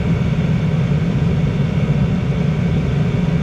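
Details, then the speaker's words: Diesel heater with its exhaust routing changed in a viewer-suggestion test: even, steady low roar with no surging or popping; combustion stabilized, owner suspects the exhaust matters. "maybe the exhaust does have something to do with it sounds like it's stabilized"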